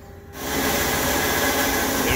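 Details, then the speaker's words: AAON unit's Baldor fan motor, compared to an identical normal unit. Steady rushing roar with a gritty, scratchy edge; worn motor bearing. "what is up another day another ball door motor and an ion unit that is getting very noisy"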